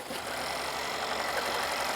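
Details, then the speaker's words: Mercedes CLS 400 M276 engine that had a rattling noise, after camshaft and camshaft phaser replacement, weak battery on charger: quiet, even idle with no rattle or knock; engine sounds good. "So, as you can hear, the engine is running and it sounds good."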